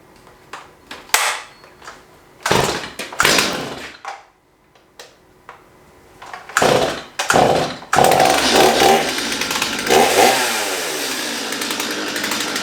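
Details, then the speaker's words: Stihl MS211 chainsaw after restoration and chain hand-filing; a few pulls and short bursts, then catches and holds a steady, even buzzing run with clean revs, healthy. "let's see if we can get her to run today project complete if so if she's running uh smooth today a little slop but not bad let's see"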